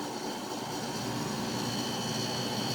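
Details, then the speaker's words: Haier dehumidifier, running: steady even hum with a soft hiss of refrigerant gas moving through the lines, no knocks or rattles; running normally. "I can hear gas traveling through the lines."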